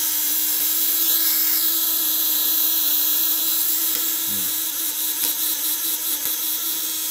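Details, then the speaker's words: Contact-breaker (platina) fish shocker, 1 kg spool, 12/24 V with heavy wiring, loose setting: a steady high electric buzz with an unbroken hiss and no stutter; stable contact vibration. "Nah, ini setting kendor udah getarannya stabil ya."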